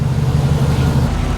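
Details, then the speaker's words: 2005 Chevrolet Silverado 1500HD V8, idling while warming up before oil change: deep even burble with throaty rumble, no ticking or stumble; sounds good, normal idle. "He sounds good. It's got an aftermarket exhaust sound apparently, and it's got a good rumble to it."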